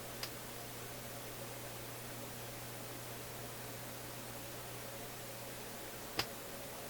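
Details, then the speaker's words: Philips console stereo receiver output: quiet hiss and low hum with two sharp isolated pops about six seconds apart, plus faint shushing; power-supply voltage at the probed point drops when the shushing occurs, cause unknown. "Now, along with the pops, there's shushing sounds, like a pop that didn't quite pop, but instead leaked out, if I can put it that way. And I can hear those."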